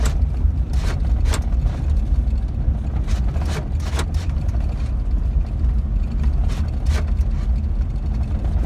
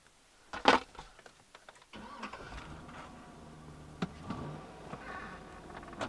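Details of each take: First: GM truck (Chevy Silverado/GMC Sierra type) with reduced engine power and service brake light, losing power to 5 mph: low engine drone runs roughly, sags, then cuts out; the cause was a broken engine ground wire. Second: GM truck (Chevy Silverado/GMC Sierra type) after repairing a faulty engine ground wire and clearing the reduced engine power fault codes: quick crank, engine catches cleanly and settles to a smooth, quiet idle.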